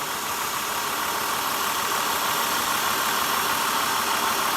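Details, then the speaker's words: 2002 Acura TL, rough running, flashing check engine and TCS lights: idle turns rougher and rattles when good coils are pulled, but unchanged when one coil is pulled; that cylinder is misfiring from a bad ignition coil or plug. "So, I pulled this one out and you can hear the engine rattle. It's a little rougher right now. And I went ahead and did the same thing here. You hear it rattling."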